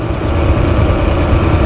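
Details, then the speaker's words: Four-stroke outboard during carburettor tuning: with the mixture screw wound fully in, there is a low, labouring, sagging idle close to stalling, showing a far-too-lean mixture. About two turns out was near correct. "sometimes for confirmation as well you can just start winding it all the way in so you can hear that's quite bad now half a turn so I I wound that all the way in and it almost"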